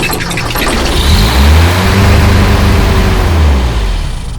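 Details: Toyota with freshly swapped 22R engine, first start, distributor just plugged back in: fires and revs up, then holds a slightly unsteady hunting low idle; many vacuum leaks suspected, unconfirmed.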